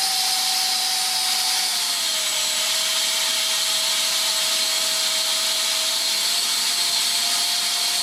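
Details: SU-27 RC jet twin ducted fans after failed maiden, thrust test at full throttle: loud high whine sagging slightly mid-run.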